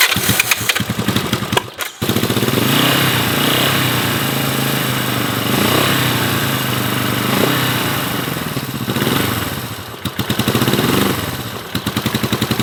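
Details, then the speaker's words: 1970 Honda CB450 barn find parked 20 years, first run on a battery, fuel possibly dumping into the engine: twin sputters and catches, then revs sag and stumble instead of pulling cleanly; engine bogging, cause not yet found. "So we'll be cleaning the bike, front brake, and diving into what could be this bogging situation."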